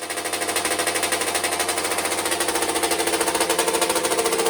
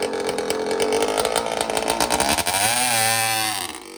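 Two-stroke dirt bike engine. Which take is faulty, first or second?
first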